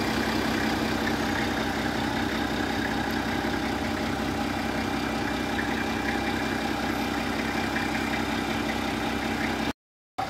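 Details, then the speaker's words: Nissan Safari/Patrol diesel after starter repair; starter had cranked very slowly despite a strong battery, suspected from driving through flood water. Now cranks well; steady, even diesel clatter at constant idle with no misses, surges or knocks. "Halos hindi siya makaikot pero ang lakas ng baterya. E ngayon, okay na, napaganda na ng ikot ng starter."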